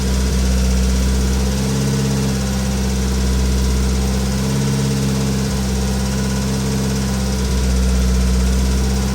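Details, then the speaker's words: Race car engine at a lumpy idle with a faint, quick ticking on top, about four ticks a second, a little lifter tick; it runs smoother than before, and the battery is not being charged because the alternator is not connected. "I mean, it's a little lifter ticking now."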